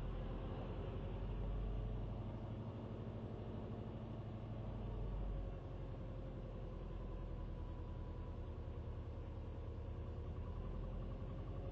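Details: Subaru WRX at cold start idle: low rumble that slowly swells and sags every few seconds, rpm hunting up and down, a recent problem; throttle blipped to disturb it.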